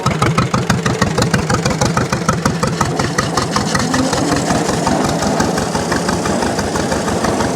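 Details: 1929 John Deere GP two-cylinder tractor, first run after restoration: slow, uneven putting about three beats a second that evens into a steadier run; engine smoothing out after warm-up, possibly burning dirt off the shield.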